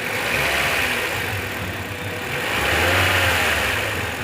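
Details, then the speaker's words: Toyota Corolla Altis with poor pickup, P0301 code: revving engine sounds lumpy and uneven, stumbling as revs rise, unplugging cylinder 1 coil gives no change; cylinder 1 misfire. "अब continue नहीं रहती है और engine पूरा उसका misfire हो रहा है"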